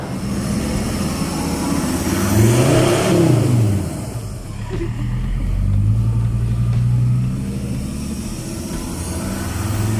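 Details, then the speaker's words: Ford Ranger with a new full exhaust fitted with a muffler, replacing a straight pipe (ECU remap also done): a deep, low grumble that swells cleanly with throttle blips and settles back. No rasp, drone or leak; a normal exhaust note. "That's what an exhaust is supposed to sound like. Nice, deep, and low, and grumbly. Not loud and shrieking."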